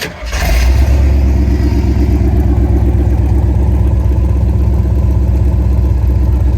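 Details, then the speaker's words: Restored 1972 Jeep CJ-5, rebuilt factory 304ci V8 with double roller timing chain and electric fuel pump, about 500 miles since completion: short crank, catches and settles into steady, even, deep idle with no knocks or misses; healthy. "Doesn't get much better than that."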